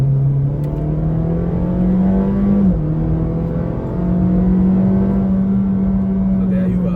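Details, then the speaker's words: 2014 Honda Fit GP5 after 10 years of ownership, hard acceleration: smooth, even engine drone climbing steadily in pitch with no knocks or rattles; normal engine under hard acceleration. "I did a rather unscientific hard acceleration test, and it's about 8 seconds from 0 Oh, to 100."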